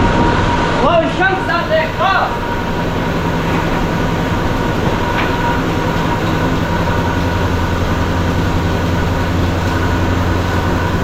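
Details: 1975 Chevy C10 Squarebody V8 on its first start after 20 years sitting, given a squirt of fuel. Rough first catch, then a loud, steady, even low rumble as it idles on its own; it sounds good.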